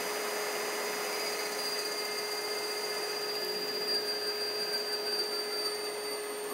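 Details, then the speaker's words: AC induction motor on a DIY-kit inverter, foot-pedal throttle, no computer connected, spinning up to maximum rpm; a steady, even, high clean electric whine with no roughness or knocking. "you can hear it spin up see it spin up a little bit so right now it's going maximum rpm"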